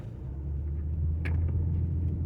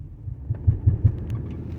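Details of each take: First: 2011–2021 Dodge Durango, Cherokee or Charger, driving and turning after repair of a knocking noise at the driveshaft support: steady low road rumble while turning, with no knock or clunk from underneath; driveshaft runs smooth and quiet. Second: 2012 Dodge Durango while turning: low, dull knocking thuds over road rumble. It sounds as if the driveshaft is hitting something, pointing to a worn driveshaft center support bearing.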